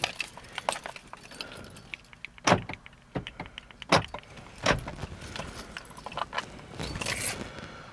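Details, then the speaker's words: 2015 Toyota RAV4 after repairing the wireless receiver single-wire communication fault: crisp, quick clunks of the door locks cycling on the remote, each actuator snapping firmly; locks working normally. "Can you hear the doors unlocking and locking?"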